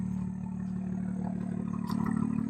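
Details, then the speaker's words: BMW M2 auction rebuild with M Performance exhaust, idling after its first start-up, heard outside; steady even low idle hum with a deep exhaust note and no knocks or misses, healthy. "no sound nice at idle and Performance Exhaust very nice"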